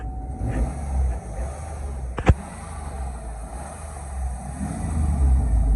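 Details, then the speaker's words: 2003 Chevy Tahoe 5.3 after replacing the throttle/pedal position sensor and clearing codes: engine swells and settles smoothly through light revs with a short click midway; it now has power and revs to 3-4k rpm, versus 2k before. "So as you can see now, the RPMs, they're going up. With the old one, the RPMs goes to number 2, but right now it's going like 3, 4."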